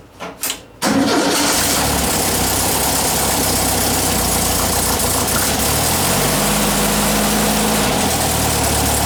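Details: 1959 VW single cab pickup, newly installed air-cooled engine started on a retry: brief cranking, catches quickly and settles into a steady, even idle to warm up, no misses or knocks; normal cold start and idle.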